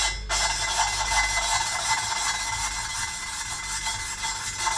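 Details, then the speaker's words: Ford Fiesta ST150 2.0 Duratec engine rebuild, valve being lapped by hand into its seat with carborundum paste after brake cleaner or WD on the seat. Gritty even rasp at two to three strokes a second; paste breaking down, seat bedding in. "and then what you're listening for is the is the sound so when you can hear the carb paste break down and then all of a sudden pick a bit more up"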